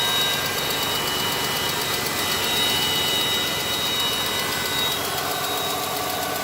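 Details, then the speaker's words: Copart salvage car, 152,000 miles, listed as non-starting, running after battery fix: light quick tick about four per second over steady idle; ticking at idle, owner suspects exhaust leak. "I hear it. Little ticking noise."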